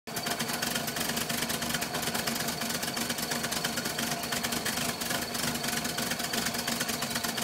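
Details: 1978 VW Westfalia bus, air-cooled engine: an uneven, stumbling, rattly idle that never settles and heads toward a stall.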